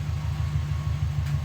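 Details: Subaru Forester with big turbo and stage 2 cams, refitted after fixing head oil leak (loose bolts): steady pulsing cranking about four beats a second, never fires; owner suspects cam timing or plugs.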